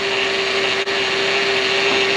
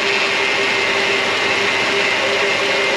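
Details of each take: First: 2006 Mercedes CLS500, engine running: steady mid-pitched whine over the engine hum from the power steering, which is confirmed low on fluid. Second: 2006 Mercedes-Benz CLS500: steady mid-pitched power steering pump whine over an even hiss, quieting down after topping up fluid that was a couple ounces low; normal pump once level reset.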